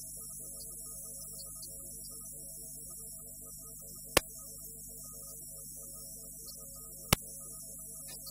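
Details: Steady low hum under constant high hiss with a faint click or two on FM stereo reception; noise on FM stereo reception, cause unclear.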